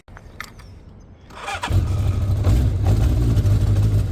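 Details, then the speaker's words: Motorcycle cold start after fitting a cleaned used stainless exhaust and headers: brief starter whir, then the engine fires and settles into a steady, even low rumble while still cold; sounds healthy. "Hideg még. Be kell melegíteni."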